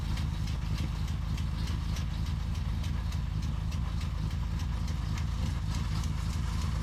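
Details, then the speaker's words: 1983 Firebird V8 off the road for years, after relashing valves, warming up: quick regular light ticking, three or four a second, over the idle rumble; valve train tick suspected. "I don't know what that noise is probably shouldn't beat on it he's going to try a second de GE Burnie but boy is it making some racket"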